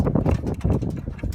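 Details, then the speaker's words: Aircraft N3318Q, engine #2, just after a run-up and shutdown with the cowling off, mic at the engine. Irregular light ticks and clicks as the hot engine cools; normal. No leaks were found, and one cylinder was replaced at the last annual. "Hear the tick? It's cooling off. Very interesting."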